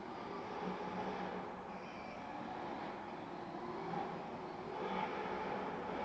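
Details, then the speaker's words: MJX 7304 Polo 1/7 RC car on foam tyres in dry conditions, second lipo: a thin, continuous mid-pitched whir with a faint tone under steady throttle, seemingly amplified by the resonating body; drivetrain noise of unknown source. "Ouais, il s'entend le bruit, hein. Je ne sais pas d'où ça vient. En plus, avec la carrosserie, on dirait que ça s'amplifie, ça résonne. Vous l'entendez, le bruit à l'accélération, là, quand je reste accéléré sur les gaz?"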